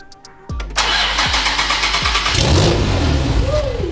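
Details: First start of a rear-mount turbo Nissan 350Z after a DIY South Bend clutch install: starter turns over in a few slow heavy pulses, then the engine catches and revs into a strong, steady run, a healthy start.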